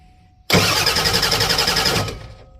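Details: 1988 Ford F350 7.3 IDI diesel, new engine, unstarted for about a year; glow plugs tick when cycled, the water-in-fuel light comes on while cranking, and priming pulled no vacuum at the filter head. Steady even cranking for 1.5 seconds, no start; cause unclear.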